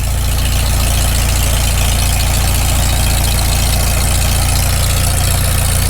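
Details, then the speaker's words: Farmall Super M tractor cold idle right after first start following full rebuild, choked a little, initial carb settings, muffler warming: deep, even low putter, no knocking or misfire; idles down not too bad. "it doesn't idle down too bad given just it's the initial carb settings i can't hear a"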